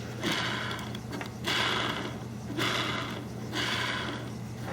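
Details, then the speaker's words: Centipede arcade trackball after 3-in-1 oiling of its bearings, spun by hand: a smooth, even rolling rush that fades with no grinding. The oil changes its behavior, but it still spins freely. "Still not as, yeah, the oil is definitely changing the behavior for sure."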